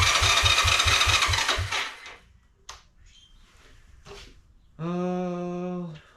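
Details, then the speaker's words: Long-parked 1986 Honda Fourtrax 125 single-cylinder ATV, before carburetor cleaning: the starter turns it over steadily at about three and a half even thumps a second but it never catches; spark present, pilot jet clogged. "let's see if it even turns over it does turn over great cool"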